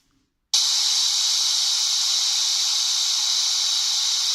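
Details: Microsoft Surface 3: loud constant white-noise hiss that switches on abruptly, not tied to audio, present with no programs open and persisting despite repeated restarts; cause unknown.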